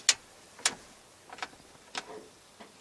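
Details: 1984 Chevy 6.2 diesel, non-runner for 6 years, new starter, no fuel, dual tanks, key on: sharp dry clicks, about six in three seconds unevenly spaced; tank selector valve switching, which it did not do the day before.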